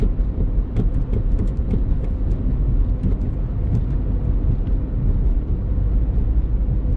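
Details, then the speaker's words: 2001 Honda Civic driving after other front-end repairs: a few dull thumps from the right front over bumps above steady road rumble. The front feels better but still clunks; worn struts were the cause, and quick-change strut assemblies fixed it. "The front end definitely feels better, but there's still something clunking up there."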